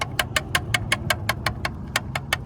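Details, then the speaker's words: 600 hp supercharged BMW M3 Club Sport at low idle, blow-off valve cap off for spring swap: crisp regular metallic taps about five a second mimicking rod knock; old spring too easy to compress, being replaced with the correct spring. "Now that this is off, we can change the old spring to the correct one and see exactly where [music] that knocking noise was coming from."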